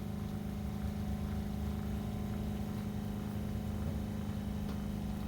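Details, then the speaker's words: RV travel trailer water pump after fitting vinyl tubes on both ends to damp vibration, refilling the drained water heater: low steady hum, no banging or rattle; quiet normal running. "okay since the water heater has been drained it's filling up the water heater now and that is very very quiet it's probably hard to tell on the camera because you can hear the water pump running but it's a night and day difference between the old style it was banging banging banging and vibrating the travel trailer"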